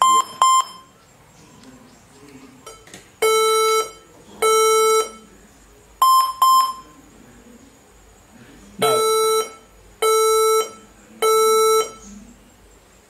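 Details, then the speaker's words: HP ProBook 440 G7 laptop at power-on after fan cleaning: repeating groups of two short high beeps then two or three long lower beeps persist, so the startup beep error is not the fan. "now you realize that uh it's still giving us the sound after us ruling off the fun uh cleaning of the fund meaning that it's a different problem that we need to look into"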